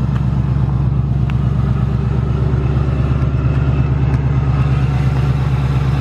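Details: 2018–2019 Ford Mustang GT Coyote V8 at idle: fast, even metallic ticking over a low drone with a light rattle underneath; the tick returned louder in the last two weeks, and the owner says it is not the direct injection. Cause unknown.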